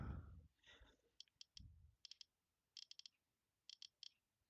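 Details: iPod after motherboard replacement with click wheel transferred from old board; crisp light ticks in quick bursts of two or three while scrolling, click wheel feedback working normally.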